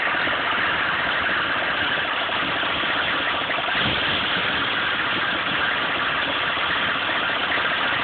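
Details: 1995 GMC K3500 6.5 turbo diesel, 78,000 miles: muffled, uneven, wavering idle clatter. It misses at speed under full load, dies off throttle and sometimes won't start. Fuel present, pump works, codes stored; owner suspects the PMD or injection pump, unconfirmed.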